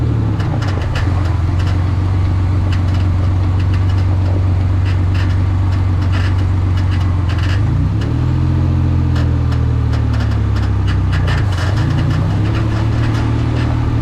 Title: Mendeola MD4S ebox transaxle making noises. Pls help!